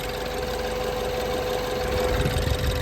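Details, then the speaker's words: 2015 BMW 428i N20 at idle after upgraded timing chain tensioner install: steady idle with light, fast even ticking, no tapping; normal fuel injector tick, idle now stable. "I know the fuel injector is all right here. So, fuel injector noise that's fairly normal, I suppose."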